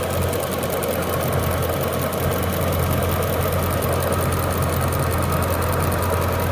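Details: Jaguar S-Type R V8: steady fast tapping keeps pace with idle throughout; idle tapping noise, source not pinned down, cause suspected, not confirmed.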